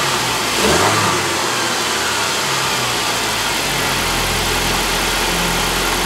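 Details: 2007 Saab 9-5 2.3L turbo 4-cylinder, automatic, FWD, about 124,000 miles, front-end damaged: starts with a quick rev, then settles to a smooth, even idle with no knocks, ticks or misses; engine healthy.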